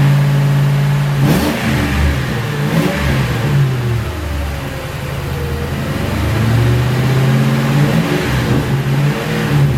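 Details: 2006 Ford Crown Victoria P-71 V8 after its stock mufflers were bored and drilled inside to defeat the Helmholtz resonator: a deep idle burble with quick throttle blips, slightly louder and throatier but clean. Not as dramatic as Magnaflows.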